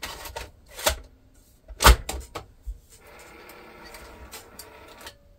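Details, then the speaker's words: Sony SL-F1 Betamax video recorder bought from eBay, first power-up before service, video head dusty: clicks and clunks, then a faint dragging motor whir; tape loads slowly, rewind very sluggish, consistent with a slipping belt. "sounded a bit slow okay seemed okay before we press play let's do a fast forward wow that works rewind very very sluggish"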